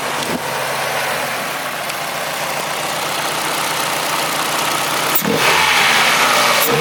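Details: Old Ford engine after new injectors and throttle body, jump-started on flat battery: fairly steady idle under loud intake rush heard through the filter, faint occasional unevenness; running better but slight stumble at idle.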